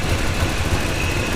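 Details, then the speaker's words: Route 66 Buick idling as it warms up after a coolant refill, at about 160 with the thermostat not yet open. Uneven, puffing low pulse with a faint tick from an exhaust leak, suspected at the downpipe or manifold gasket. "kind of sucks I'll have to add that to the ply maintenance to-do list find and fix exhaust leak I'm willing to bet it's either that down pipe gasket or manifold gasket"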